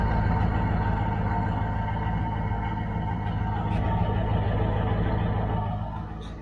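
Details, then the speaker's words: Church van idling: steady, even low rumble, smooth exhaust note, no knocks; owner says it sounds better than before. "it actually does sound pretty good this fan always had a decent sound to it but i think it sounds better now anyway"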